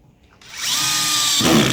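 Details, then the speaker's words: Power drill with Phillips bit, clutch set around 5–6, driving a longer screw: steady whine, then a sudden loud rattling burst as the bit cams out of the screw head, which can strip the screw. "See how that spun outside? That's what you don't want. That will strip your screw or ruin your bolt."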